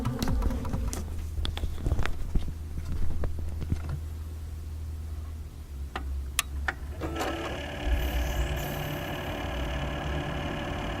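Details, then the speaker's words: Corsair H100 AIO water-cooler pump in an idle PC with eight quiet fans and a new Corsair PSU; a steady low hum with a whirring tone, all from the pump, louder than all the fans combined; an RMA replacement unit fixed it. "that noise you hear is entirely coming from the pump there are eight fans running and what you hear is the pump none of the things"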